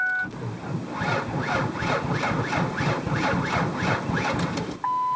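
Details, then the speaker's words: Car that won't start: sluggish labouring starter cranking under four turns a second, never catching, between dash chimes; weak battery suspected. "It just won't start. Now I think you could hear that my battery definitely sounds low."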